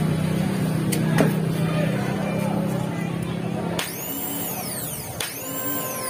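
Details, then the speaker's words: Piaggio Ape auto-rickshaw starter motor, removed and checked after worn carbon brushes caused weak start, bench-run on battery: steady even hum with no grinding or catching; motor runs freely and healthy. "చూసారా అది ఎట్లా start అయిందో బ్యాటరీకి connection ఇయ్యంగానే"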